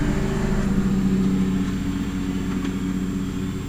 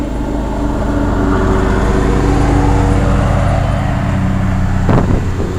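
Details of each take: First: 1987 Carrier Round One 3-ton central air condenser with GE fan motor, starting during a thunderstorm: compressor hum and fan whir start, then cut out after about a second, cause unclear; condenser shuts off shortly after starting. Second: 1987 Carrier Round One 3-ton straight-cool central air condenser, running: low steady compressor and fan hum, barely audible, no knocking, one brief thump near end; quiet, healthy normal running.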